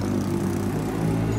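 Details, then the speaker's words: Yamaha NMAX V1 with new block after previous oil starvation, RS8 CVT parts, being tested and warmed before break-in: steady, even low hum at gentle throttle, no knocks or rattles; idles smoothly, healthy. "Ayan, okay na, buo na to. Tinesting lang."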